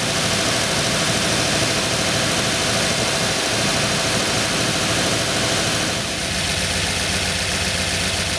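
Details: 1985 Ford Bronco V8 held at fast idle around two thousand rpm while ignition timing is checked (found about right, target 34 degrees); steady even roar with no misfire or stumble, sounds healthy.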